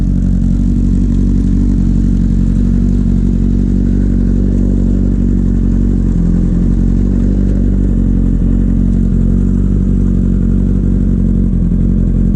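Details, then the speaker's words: 2008-10 Kawasaki ZX10R after new stator fitted and recharged battery, first start after sitting over winter: starts and holds a loud, steady four-cylinder idle with an even drone, no whirring or clatter; earlier noises gone, healthy. "Let's see if the bike will start. It's already a good sign I don't hear the noises. Oh, she's alive."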